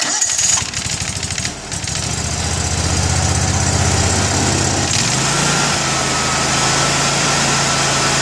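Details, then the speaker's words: Kawasaki FH680V 23 HP twin on Gravely 160Z mower, after cleaning a plugged left-bank idle jet (two-barrel carb): cranks, catches, settles into steady even idle without loping or surging, transitions to full rpm fine; still needs choke to start. "but now it starts and idles and transitions to full RPM just fine"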